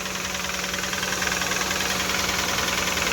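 Petrol engine idling with a steady, fast knock riding on the running sound, about three and a half a second.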